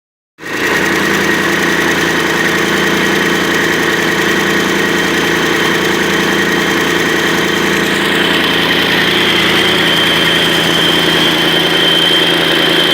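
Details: Mercedes-Benz OM 502 diesel after major overhaul, first start: fires right up and settles into a steady, even idle with no knocks or misses; healthy.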